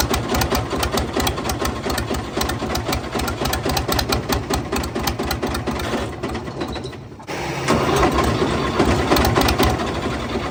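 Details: Fiat 450 Special tractor on a very cold day, run after ATF was worked out of the cylinders: heavy, uneven internal hammering through the diesel beat. Afterwards the flywheel spins on the starter but nothing inside turns; a snapped crankshaft is suspected.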